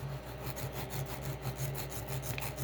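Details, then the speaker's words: Creality Ender 3 S1 3D printer, Z offset set to -1.62 with the paper test: soft, even scraping pulses under steady fan hum; nozzle lightly dragging on the paper at the correct Z offset. "hopefully the microphone picks that up and you can hear the vibration the scraping it's it is scraping just a tiny bit that's probably a good spot right there"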